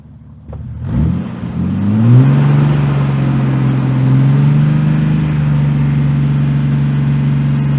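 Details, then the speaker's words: Jeep TJ after 15 years sitting, after a test drive in reverse: engine catches, climbs smoothly, then holds a steady even drone with no knocks or misses; everything running great, though brakes were absent. "Awesome. Everything's running great."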